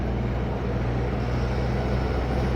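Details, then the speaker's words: Iveco Genlyon 682 truck on a road test after a rebuild of its Fuller 12JS160T gearbox: steady, even diesel drone with a smooth drivetrain hum and no whine or clunks; the truck pulls cleanly with plenty of speed, normal driving. "እንግዲህ መኪናው በጣም ስፒድ አለው እንደምታዩት ይሄው"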